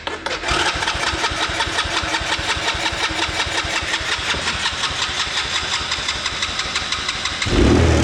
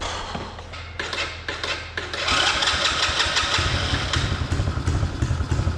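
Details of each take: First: Kids' 125cc Chinese ATV that was slow to start, with the carb being cleaned and a carb screw set at four turns: engine catches and runs with an uneven, stumbling beat before revving harder; rough running traced to a worn spark plug. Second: 125cc Chinese kids ATV, sat a while, after carb clean and new spark plug, on external battery: few cranking thumps, catches quickly into fast even single-cylinder idle, smoother with more RPM; normal start and idle.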